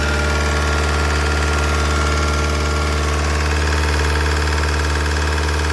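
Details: Opel Insignia 2.0 CDTI 160 hp diesel at idle: deep steady drone with a light, fairly regular tick about three per second. Lifter tick suspected, source unconfirmed.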